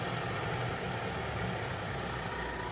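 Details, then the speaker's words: Wrecked 2020 Volvo after a police pursuit, first start: fires straight up with coolant-level and pedestrian-protection warnings, then a quiet, even warm-up idle with no ticking, knocking or stumble; engine idles cleanly. "Yes! Yes, it fired straight up, guys. Engine coolant level, pedestrian protection service, engine coolant level. Oh, I can't believe that. Yes! Oh, and that sounds sweet. That sounds absolutely sweet."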